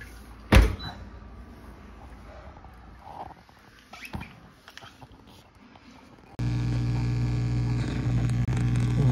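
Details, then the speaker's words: GE dishwasher GLDT696TSS00 after drain pump replacement, test cycle: after a few clunks a steady low hum with rushing water starts and holds evenly; the new drain pump is draining normally, no leaks. "i'm gonna drain it turn this back on and i'm going to start a cycle until it drains doesn't really matter which one"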